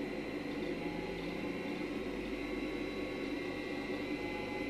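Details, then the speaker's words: Segway motor driven by an eBay sensorless brushless motor driver at 5 volts, maximum speed: steady, even mid-pitched hum with no ticking or grinding; runs smoothly. "now let's fill it up a third five volts which is the maximum speed"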